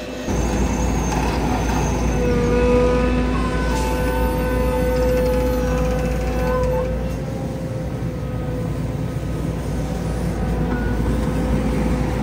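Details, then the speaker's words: Belt-driven vibrator on a gravel truck's dump box shaking the load down while the truck runs: heavy, steady low buzz with a faint whine on top, even and unbroken; vibrator running normally. "There's a vibrator on this that vibrates the box. There you go. You can hear that. And that makes the gravel fall down in."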